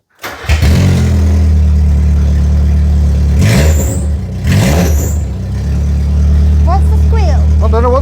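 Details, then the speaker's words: Mitsubishi Pajero Junior, engine revved indoors with no exhaust fitted: loud open-exhaust drone rising and falling, thin high squeal in places, source unclear; very noisy. "squeal is don't do it now F do it time fine yeah that's what it sounds like it's it's noisy"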